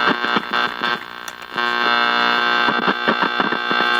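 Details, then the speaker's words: Old estate-sale radio from a batch of estate-sale radios, just sprayed with contact cleaner: loud steady hum and crackling static surging as the dial moves, barely easing when tuned; noisy tuner, too noisy to listen to anything, cause not yet found. "But there's no, I mean, you can't even try to listen to anything with all that noise."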